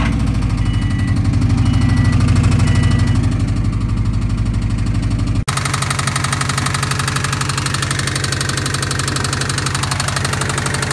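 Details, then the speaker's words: Subaru engine at startup: loud, hard knocking about three a second over a rough idle, persisting throughout; severe engine knock, internal damage suspected, owner thinks it needs a complete new motor. "It does start and it does run, but it sounds very unhealthy."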